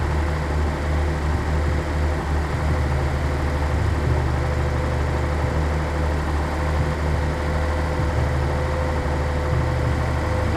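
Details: 1983 Nissan 280ZX Turbo, cold engine: steady low idle drone with slight lumpy wavering in the bass. Rough cold idle. Cause unconfirmed; owner suspects fuel injector, fuel pump or fuel pump damper, throttle switch or airflow meter binding.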